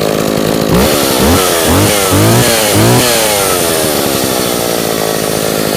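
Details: Echo 452VL two-stroke chainsaw after repair, choke off, mic placed next to it, revving through quick blips then settling to a steady high buzz; runs great, just a little smoky.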